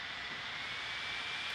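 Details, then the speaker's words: Gigabyte P34G laptop playing a Premiere Pro clip with Shadow/Highlights effect, around 80°C: steady airy rush with faint high whine, growing louder as the fan spins flat out under heavy load. "now it's getting even louder so you know obviously I mean I got the Shadow and highlights turned on which is really tough on the computer"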